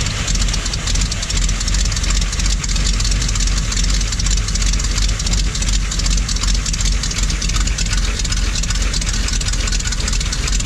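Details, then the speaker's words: Old Dodge recovery truck, carbureted. Deep, uneven idle, ragged puffing beat near three per second; horrible exhaust leak and badly out-of-tune rich carburetor, needs electronics ditched and engine checked. "technically it's a runner. The horrible exhaust leak and the wickedly out of tune carburetor are not doing it any favors."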